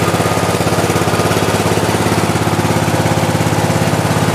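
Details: 1998 Craftsman LT 4000 lawn tractor, 15.5 hp Briggs & Stratton OHV single-cylinder, just started on choke in first cold start of the season with new battery: steady even thumping, no misses or knocks — normal running.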